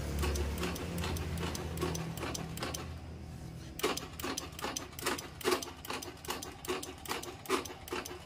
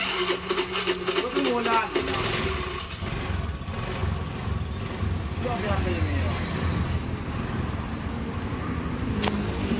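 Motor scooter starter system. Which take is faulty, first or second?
first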